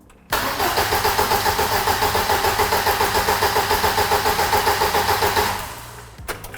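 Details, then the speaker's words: Lotus Elise S1 laid up 10 years, head refitted with new uprated head gasket: cranked with coil lead off, steady even about 3.5 turns per second for five seconds, no firing, until oil light goes off. "But for now, let's crank it with the coil lead"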